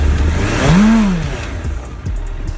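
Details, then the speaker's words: 2008 Suzuki GSF1200S Bandit carbureted: quick throttle blip rises cleanly and falls smoothly back to idle, no coughing or stumble; big engine slightly slow to respond; healthy throttle response. "если газую вот на ручку газа ручка Газа Да в принципе откликается хорошо Ну немножко конечно инертный двигатель"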